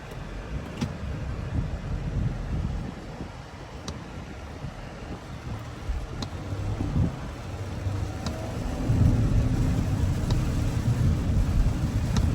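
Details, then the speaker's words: Audi Q7 supercharged V6, after repair for a scanned cylinder 6 misfire, cover back on: low steady idle rumble with no stumble or rhythmic miss, only light background ticks, no vibration; normal idle. "right now it's already start no vibration everything is good"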